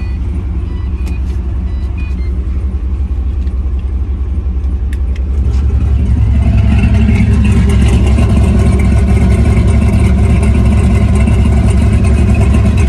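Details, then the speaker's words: V8 with exhaust cutout after tune changes smoothing timing corrections: loud, deep, steady idle with even burble growing fuller as cutout opens; no misses, smoother idle. "you can hear that the idle is smoother it's nice choppy and then i'll go ahead and open the cut"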